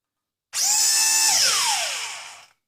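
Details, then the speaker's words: JJRC Yizhan Tarantula X6 H16 drone, tilted so only the downward motor runs: a very loud, shrill high squeal over the motor buzz, falling in pitch as it spins down; this motor is failing (damaged motor). "este ya vemos que empieza como a fallar porque ya empieza a chirriar y este que es el que nos falla como vemos el ruido es un chirrido muy muy alto"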